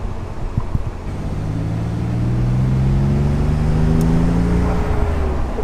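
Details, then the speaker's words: 1991 Nissan 300ZX Twin Turbo, first drive after a full rebuild and manual swap, staying off boost to break in the clutch: a smooth, even engine note climbing steadily under light throttle, no knocks or rattles. "Oh, that sounds so good. You can smell everything like burning for the first time."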